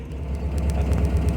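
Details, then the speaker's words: Upright-converted VW Type 4 engine with idle hiccups; low engine rumble with steady ticking about eight per second heard through the speaker, indicating one spark plug with resistance out of tolerance. Ignition misfire tick from faulty spark plug, plugs to be replaced. "okay you hear that tick tick tick tick tick tick coming from the speaker that tells me there is that there is one spark plug that is auto tolerance out of tolerance"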